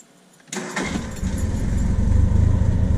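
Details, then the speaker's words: 1978 Triumph Spitfire with aftermarket Weber 38DGES carb, being tuned (idle rich, owner suspects wrong jetting, timing advanced): quick crank, catches at once when hot, settles into steady, even low idle, revs and catches nicely. "So I got it idling. It fires up instantly when hot."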